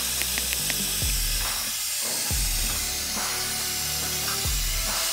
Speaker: all the nitrogen is blown out so let's put some more in and find that leak shouldn't take much yep it is loud